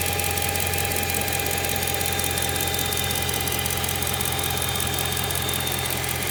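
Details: BMW M3 E92, November 2008 build, 88,000 km, mostly city driving, at idle: a sharp, quick ticking about three per second over a steady engine note that sounds like conrod bearing noise; actually an exhaust manifold leak.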